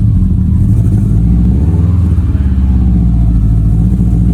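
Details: Subaru STI on a 700whp build: heavy, uneven engine drone with a stumbling beat, a rough-running misfire, worst when let down to idle; cylinder roughness counts monitored through the Accessport, engine smells rich.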